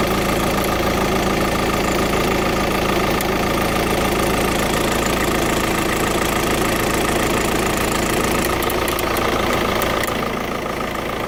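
Diesel idle carries a fast, fairly regular tick, about three a second, riding over the clatter; source not pinned down.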